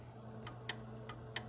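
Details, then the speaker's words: Sharp relay clicks over a steady low hum as a Central Electronics 100V tube transmitter is keyed via the mic PTT, a normal keying action; keying with the manual switch still does not work. "the relay clicking in there and there's the power coming up but I can't keep it with the manual function here on the uh switch you can hear the relay clicking slightly so I got to figure that out"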